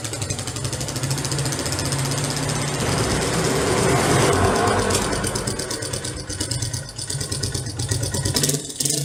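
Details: Wolf 125 (野狼125) single-cylinder motorcycle: loose mechanical slapping at idle and a clunk as gear engages. The drive chain is slapping around; the cause is not established.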